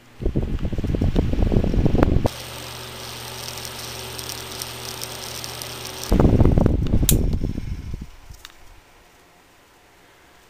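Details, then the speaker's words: Classic 7-inch wicker fan, motor once overheated, oiled since: spins slowly with rough rhythmic scraping about four times a second over low hum; something rubbing, cause unconfirmed. "i turned it on the next day and it spun much slower than it used to and made the scratching sound that you can hear there and thought i wrecked it"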